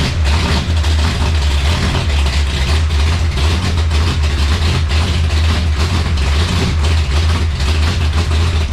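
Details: Dodge Challenger drag car with a 440 race engine, first drive, still needing tuning: deep, heavy idle with a choppy big-cam lope, running as it should.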